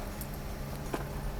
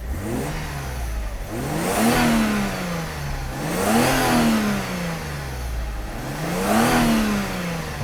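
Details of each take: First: Mercedes W124 300E-24 (24V, 220 hp) idling, heard from inside the car after the fuel distributor was overhauled: steady low hum over a smooth idle from a loud, worn fuel pump that needs replacing. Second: Mercedes W124 300E-24 (24-valve, 220 hp) after fuel distributor rebuild, six new injectors and spark plugs, idle steady at 900-950 rpm: blipped three times, climbing quickly and cleanly each time before settling to idle; normal free rev.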